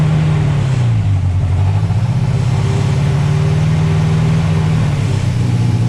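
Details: Mercruiser 140 boat engine swapped into an S10 with GM ECU tune, not staying in closed loop: pedal held still at about 15, pitch dips then climbs and hangs higher on its own; rpm surge as spark advance jumps to about 35 degrees.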